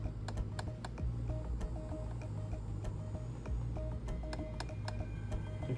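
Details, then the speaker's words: Lemax Spooky Town Evil Spirits Whiskey Distillery rotating ghost display, ghosts still jerky after an attempted fix; light, uneven ticks and taps over the tune and low motor hum as something hits, possibly in the gear drive, seemingly from up top. "There is something I can hear hitting. I don't know if you can hear it. Can't tell exactly where it's coming from."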